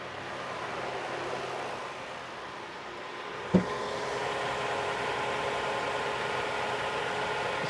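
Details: 2015 Toyota Sienna AWD 3.5L, traction control off, wheels driven at about 60 km/h with a pedal tool. Customer hears bearing noise at 50–60 km/h. Smooth, even drivetrain hum with no growl; front wheel bearings are healthy.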